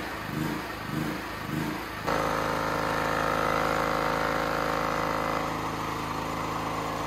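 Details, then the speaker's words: Used Champion C49055 generator, Honda GX270-clone engine in unknown condition, new tri-fuel carb running on propane: engine pulses up and down about four times a second, then settles to a steadier drone; idle hunting, carb needs tuning. "oh that's not good i hope you can hear me but i adjusted the idle for the load speed here you can turn up and down the rpm um it's bouncing around"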